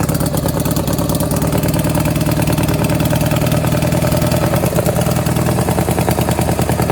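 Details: Power King 2417 lawn tractor, carburetor not yet cleaned: steady, heavy low chugging with a loose, uneven beat at fast idle; running rich with poor throttle response.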